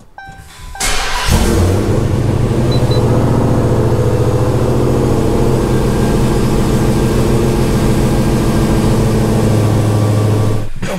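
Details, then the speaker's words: Dodge Hellcat test-fired right after an upgraded fuel injector install, before any tune for the new injectors: it catches into a lumpy, uneven rich idle with irregular low pulses, clearly getting too much fuel. No leaks or fuel smell; a revised tune is awaited. "okay I don't see any leaks I don't smell any fuel and for that quick test fire but you could hear it it was definitely getting too much fuel"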